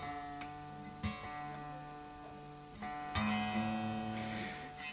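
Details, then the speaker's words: Vintage V100 Les Paul copy during setup, new strings being tuned: the D string pings sharply as it binds in its nut slot; the slot needs widening a fraction, done with 600 grit paper. "D string is pinging. That means the D string needs widening just a fraction."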